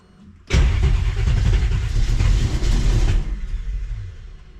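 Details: 1967 Chevy Nova small-block Chevy with FiTech EFI, injector 2 fault code, smelling of gasoline: slow, labouring crank for about three seconds that never catches; engine flooded, possibly by a stuck injector dumping fuel.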